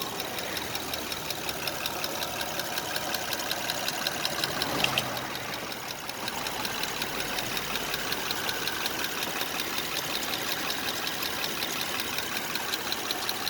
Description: This is a quick video of a 2005 Honda Odyssey making a ticking noise.